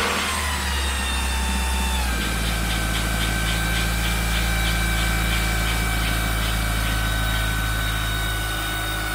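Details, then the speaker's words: 1997 Mitsubishi Eclipse Spyder 2.4 SOHC after timing belt replacement, accessory belts off; catches and settles within two seconds into smooth even idle, no slapping or ticking; owner says smoother, more responsive; normal idle. "I got already tired the throttle and the engine sounded way more responsive it was smoother everything about it it just sounded great"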